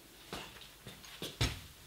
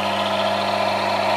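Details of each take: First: Lubricant friction test rig with a V-belt-driven motor at 750 rpm, automatic transmission fluid in the oil pan, low load: steady, even smooth hum, no grinding; fluid friction, metals separated. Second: Automatic transmission fluid friction test rig, load being increased: steady drone with thin hiss and rasp rising as pressure grows; lubricant film breaking down into metal-to-metal friction, leading toward high wear and cold welding.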